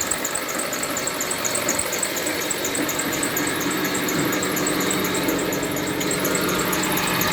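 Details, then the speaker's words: Mitsubishi Lancer X engine running with heavy knocking, oil spraying over the engine bay: fast uneven knocking and light rattle over a steady hum; crankshaft pulley damper rubber broken, bolt loosened, pulley wobbling, pulley replaced. "всем привет сегодня у нас lancer с большим стуком в двигателе и вот у него масло летит немножко все в брызгах"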